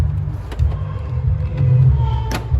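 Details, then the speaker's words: 2016 Toyota RAV4 door lock actuator after replacement with an aftermarket 10mm flat-shaft motor: two crisp clunks about two seconds apart as it locks and unlocks cleanly, working properly. "Lock, unlock. It's working."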